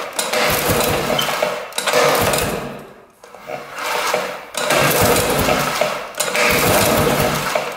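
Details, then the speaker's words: 1960s Ski Daddler snowmobile, spark plug out and cylinder lubed: repeated pull-cord strokes about every 1.5 seconds, each a smooth even whirr, getting easier; engine turns over freely, not locked up, spark confirmed. "pulls over pretty good it's getting easier all right I think we're good to go there"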